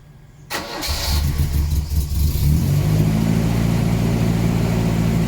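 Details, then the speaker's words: 1979 Volvo 240 with exhaust swapped from another 240, intake pre-heater hose removed: engine catches and settles to a fast idle with a raspy, ticking puff under the exhaust note; massive exhaust leak at the manifold, later sealed and gasket tightened. "uh it's running a little bit weird though uh there's definitely a massive exhaust leak at the manifold so maybe i'll go and try and seal that up"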